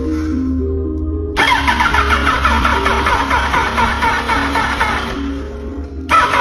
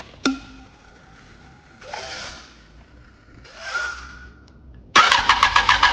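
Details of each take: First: Yamaha R1 parked two years, first crank on a fresh battery: the starter spins fast, then drags and slows with an uneven whirring grind; the owner suspects the starter rusted and stuck inside from sitting. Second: Yamaha R1 parked two years, starter motor seized with rust, after the starter was serviced: a click, then about a second of quick, even, strong cranking pulses near seven a second; the starter spins the engine briskly, no problem.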